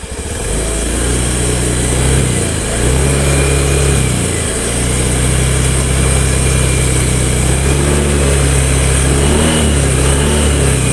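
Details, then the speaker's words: Honda Beat FI/ESP automatic scooter engine revved slowly from idle: smooth at idle, then a humming, buzzing drone like a swarm of bees or pigeons rising with throttle, heard from CVT side; worn crankshaft main bearing. "Ada suara nges gitu, semacam kayak segerombolan lebah atau tawon ya, atau suara bandangan burung merpati."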